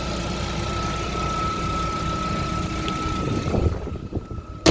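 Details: Cold idle of a 2020 Lada Vesta after an engine overhaul at 36,220 km, done after oil burning and a burnt valve blamed on catalyst removal and undersized pistons. Steady, even idle hum with a faint constant whine, no ticking or knocking; clean, quiet, normal.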